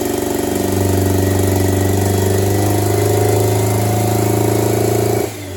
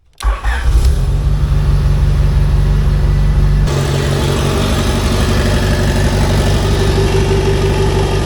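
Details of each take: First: D16-swapped Honda Integra petrol engine idling lumpy like a tractor, uneven heavy chugging about four pulses a second, firing only on cylinder three; compression tested fine, swapping injector clips showed only one working. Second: AWD D16 Integra test fire after replacing a damaged interior wiring harness with a junkyard 92-95 Civic harness, previously firing only one cylinder: quick catch, steady even idle on all cylinders; now running right.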